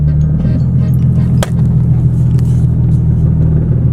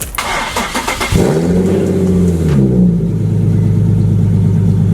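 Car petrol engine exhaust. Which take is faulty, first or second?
first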